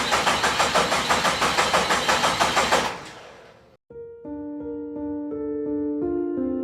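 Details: 1972 Jeep Commando with swapped 2000 Cherokee 4.0 straight six, first start attempt after a year of work: steady even cranking about three turns a second that never catches; spark or fuel suspected; crank no start.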